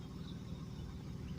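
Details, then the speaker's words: 1998 Chevy Blazer LS 4x4 with 4.3 Vortec V6 at idle: low, soft, even rumble, quiet exhaust, no knocks or ticks; healthy engine. "4.3 basically a 350 with two Pistons chopped off sounds pretty decent not as good as a V8"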